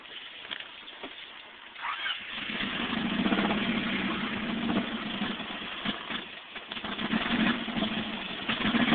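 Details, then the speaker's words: 1989 Honda Accord with blown engine that died on the way to work: engine catches and settles into a ragged, uneven, lumpy idle, sounding badly worn or damaged; rough idle, cause suspected. "sounds like a super [ __ ] oh it's idling too"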